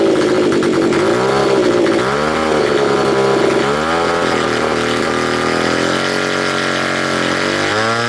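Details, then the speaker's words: Neglected curb-find Stihl BG55 leaf blower, first start-up on choke: small two-stroke revs surge and sag unevenly, pitch wandering instead of holding steady. It is running rough with the carburetor out of adjustment. "oh yeah gonna need adjustment"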